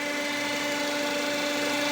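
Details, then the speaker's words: Nissan Terrano / Renault Duster petrol, 47,000 km, idling evenly with a steady hum after a squeak near flywheel area; squeak disappears with dipstick pulled, releasing crankcase vacuum, blamed on crankcase ventilation valve. "Вот этот клапан. Выхлопные газы из картера. То есть , мы вытаскиваем щуп. Вот и все . Звук пропал."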